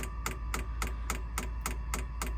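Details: Sunster Chinese diesel heater in a motorhome, pump mounted outside the cab, over 20 ft of fuel line. Crisp ticks about 3.5 per second over a low steady hum: the fuel pump priming normally after start heating.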